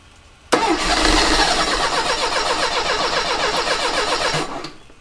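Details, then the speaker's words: 1985 Mercedes 190E with KE-Jetronic injection, fuel accumulator replaced, fuel pressure adjusted down toward 3.5 (suspected clog causing high pressure): fast, steady starter churn about four seconds with no catch; cranks but won't start, cause suspected, not confirmed. "come on I know you want to baby all right well that was close that was very very close"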